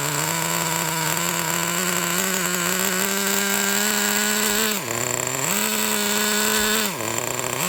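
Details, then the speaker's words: Vintage 1999 Traxxas T-Maxx nitro engine: high buzzy note holds then sags sharply and picks back up, speeding up then shutting down; massive leak at front crankshaft bearing of crankcase, with unburned fuel dripping from it. "well that explains the situation that explains why it seems to speed up and then just shut down because we have ourselves a massive leak it looks like right over there from the crankshaft bearing"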